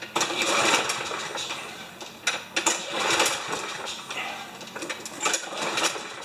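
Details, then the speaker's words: Yard Works mower, MTD Briggs engine with wind-up spring auto-start, primed with starting fluid: repeated pull-cord cranking bursts with clattering turnover, never catching; cranks but won't fire even when primed. "Feels like I'm pulling the gears over. Ooh, that sounds tough. Can you see something? Ah, you can see something there. It's not firing."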